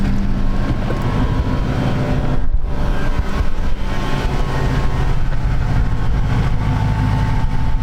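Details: 1937 Ford Tudor Bustle-Back street rod, Ford V8, 25,255 miles, oil pressure about 65 psi, charging at 14 volts, heard from outside: deep, steady, even V8 burble at idle, no tapping or stumbling; healthy idle.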